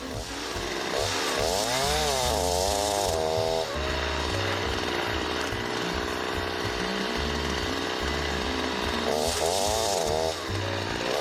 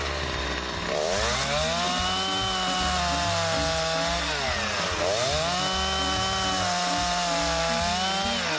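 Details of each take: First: Chainsaw cutting konara oak hardwood with over-filed depth gauges: the revs sag and lurch as the cutters bite too deep, and the chain bogs and stops in the cut. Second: Two-stroke chainsaw test-cutting wood after its top and side cutters were filed, with the depth gauges left unfiled: a high buzz holds steady in the cut and dips and recovers between passes without bogging, cutting fairly well.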